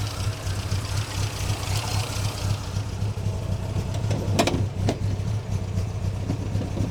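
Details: Newly supercharged MGB with Weber DCOE carb (idle jet 55F9, emulsion F16 170, pump 60) and 123 Tune+ distributor; rough, lumpy idle with stumbles, owner suspects fuelling and timing.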